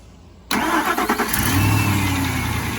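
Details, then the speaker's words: 2002 Ford F-150 5.4L V8 after starter replacement and corroded starter wiring repair (previously only clicked): starter engages cleanly, short crank catches within a second into a steady, even idle; normal crank and start. "And that is music to my ears."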